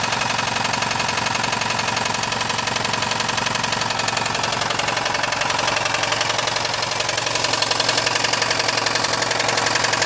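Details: VAZ 2109/2115 engine running: steady run with a sharp, regular knock about twice a second riding over it. Worn connecting rod bearing (rod knock).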